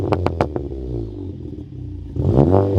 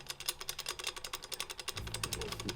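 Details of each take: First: 2017 VW GTI S, TPC20 ball-bearing turbo with Garrett internals, catless downpipe, custom 3-inch catback exhaust: revs climb and fall twice with a rising whistle over the exhaust on each pull; normal, quick-spooling turbo. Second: IS20 turbo removed from a 2017 VW MK7 GTI S, flapper worked by hand: light metallic clatter, about eight clicks a second, from a worn, loose wastegate. The turbine shaft has no play; the wastegate likely needs replacing.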